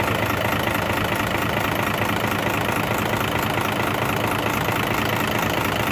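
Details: Hino FM 500 six-cylinder diesel truck after fixing oil leaking from the dipstick and refilling oil: steady, even diesel idle with a smooth low clatter and no misses, knocks or blow-by; engine running healthy.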